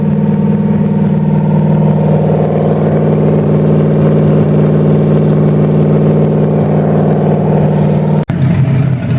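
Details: 1928 Dodge with a 440 V8 just broken in, new Edelbrock carb, electric fuel pump, fuel pump and overheating problems fixed: deep, steady burble at even idle, no knocks or misses; normal idle.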